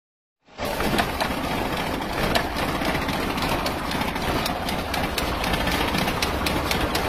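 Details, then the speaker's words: Car engine run out of oil: harsh metallic klak-klak clatter three to four times a second over rough idle; crankshaft damaged, connecting rod bearing knock. "Kita turun mesin, penter, suaranya kasar, klak klak klak klak. Ternyata asreknya sudah kena."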